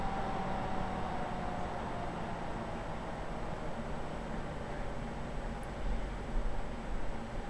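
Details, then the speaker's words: Upgraded ColorsIT PC power supply with a thermistor added on the heatsink to control the fan: at power-on the fan is audible, then its airy whoosh drops to a quiet, slow speed; it runs normally. "As you can hear, the fan was quite audible at first, but it slows down to about the speed you see here, and it moves just a slight bit of air to the power supply."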